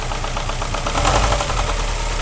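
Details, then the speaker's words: Subaru EJ20 Bugeye WRX misdiagnosed elsewhere as rod knock; after adding tension to the top belt tensioner the knock is gone, steady idle with only even firing pulses and no sharp knock; failing tensioner was the cause. "what i'm going to do is just apply a little bit more tension to the tensioner up on top just like that and it's gone"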